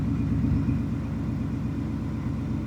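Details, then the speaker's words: 2019 Ford F-150 5.0 V8, warmed up, after repair of a cylinder 4 misfire that persisted despite a new plug and coil; smooth, even idle with steady firing pulses and no skip. Normal idle after repair. "so cylinder 4 we can 100% see this thing is fixed now car is running"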